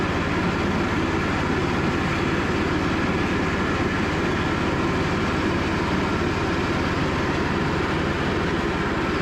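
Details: Cub Cadet riding mower, after sitting 3+ years, on a final test run following a charging system repair. Even, steady drone with a constant low throb and no knocks, misses or rattles; healthy running.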